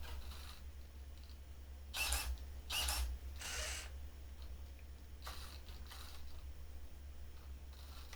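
Short high squeaks come in bursts every second or so as the head sweeps side to side, over a low hum: a squeaky servo.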